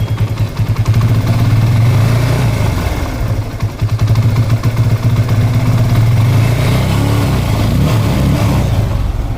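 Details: TVS Apache RTR 180 motorcycle, engine blipped: an uneven, stumbling beat and sluggish rev rise, with misfire, low pickup and mileage issues. A faulty carburettor diaphragm is suspected and is being replaced.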